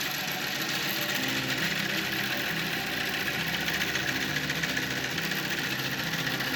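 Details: Wooden antique bandsaw, untested auction find, first run after plugging in: loud, rough rattling roar with an uneven knock about three or four times a second; cause unclear.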